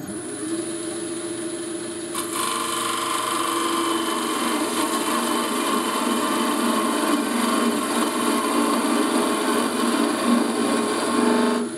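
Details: Wood lathe turning a thin spindle with a skew chisel: once the tool touches, a harsh buzzing chatter rides over the cut, the slender workpiece vibrating against the tool, worse at higher speed.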